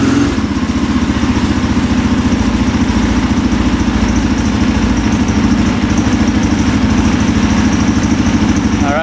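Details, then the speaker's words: 2003 KTM SXC 625 Supermoto single-cylinder, warming up after a carburetor clean fixed its poor running. Strong, regular thump at steady speed with no stumbling or popping. It is responsive and doesn't bog down. Normal running. "Oh yeah, sounds pretty good. Wow. Very responsive, doesn't bog down. All right, so the carb clean fixed it."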